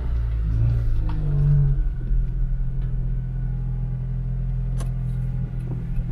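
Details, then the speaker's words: Honda Integra DC5 on a hot day, driving after topping up power steering fluid though level was not low and no leak: low steady engine and road rumble, earlier steering noise gone, no whine or groan; power steering now quiet. "Ah bah, tu vois, elle le fait plus le bruit là, tu vois. Ouais, elle le fait plus. Ça a l'air mieux."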